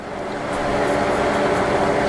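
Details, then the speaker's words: 26" DoALL 2612-2H vertical contour bandsaw, hydraulic table feed moving the table forward automatically: steady mid-pitched hydraulic hum that swells slightly then holds even; gives a nice even push, feed working normally. "as it's automatically feeding it, it can go in there and pull it in for you rather than you having to push it in. And it'll give it a really nice even push each time."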